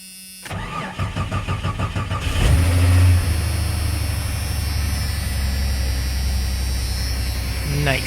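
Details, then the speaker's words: 1989 Jeep Cherokee XJ, 4.6L inline-six stroker (Renix), after replacing one piston for piston slap knock that began after 700 miles: cranks about two seconds, fires, flares, then smooth steady idle with no knocking. "No more noise, baby. No more noise!"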